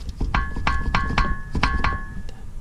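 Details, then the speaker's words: 1988-1991 4th-gen Honda Civic, left outer CV joint with the wheel off and the boot intact: sharp metallic clacks about three a second as the shaft is rocked by hand. Play shows a worn outer CV joint, and the axle needs replacing. "there shouldn't be any play so based on that we can tell that the outer joint is worn"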